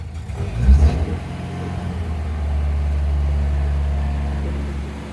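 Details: Mitsubishi Jeep J3-J10 engine being recommissioned, investigating a no-start and carburettor overflow: catches with a rough burst, then an uneven low drone with stumbling beats; misfiring, hard-starting.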